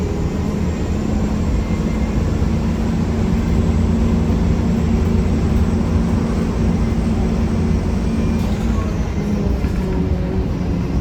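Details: 1993 Gillig Phantom 35' bus, Cummins ISM engine, Allison B400R transmission, onboard at steady cruise: constant rough, gritty drone with low hum throughout; loud grinding noise, owner suspects transmission, unconfirmed.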